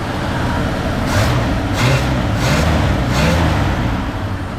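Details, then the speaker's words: 1955 Buick Super V8, just revived and running: about four quick throttle blips rise and fall cleanly over a smooth idle with no popping or stumble; normal revving, with slight smoke from the rear and idle adjustment still needed. "It cranked right up. And she sounds pretty good. Even when I give her the onions."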